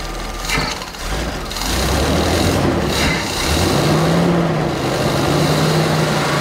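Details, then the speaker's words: 454 V8 in an old motorhome chassis for a 1955 Chevy COE build, first start with 75–80 psi oil pressure and service engine light on: steady even idle, smooth low rumble, no knocking; valve train audible at startup, dirty injectors suspected. "louder sounds good. No knocking."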